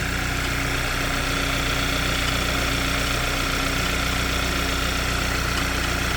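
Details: Hyundai Sonata engine bay at idle: steady fast tick-tack about three per second, most prominent at idle, appeared suddenly and persists; source unknown.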